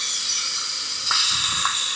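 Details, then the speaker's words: 2013 Range Rover Vogue Supercharged, driver-side front air suspension strut removed and pressurised: strong, constant high-pitched hiss of air escaping from the top; leaking air spring, strut replaced. "It's blowing air from the top side. It should not."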